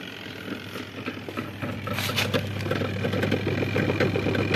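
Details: Zvezda washing machine with replacement spin motor, lid closed and drum spinning: steady low hum with light mechanical rustle, no scraping or knocking; normal spin drum rotation.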